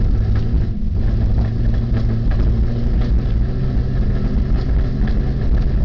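Heavy low rumble with a rough, uneven beat to the running; sounds like an engine misfiring, cause unknown.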